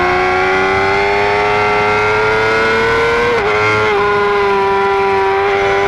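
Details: 2009 Yamaha R6 engine running: strong clear whine that climbs slowly with revs, dips briefly, then holds steady; owner asks whether it is normal, source not identified.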